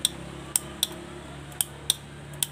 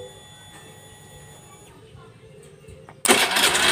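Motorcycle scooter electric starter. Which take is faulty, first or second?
first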